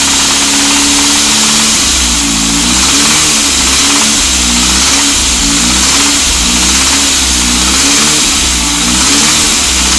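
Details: Saab 9000 engine blipped repeatedly: silent at idle, but a rough knock rides along with the revs once they climb above 1500 rpm. Source unknown; owner was told it is the bottom end and asks about the timing chain or tensioner.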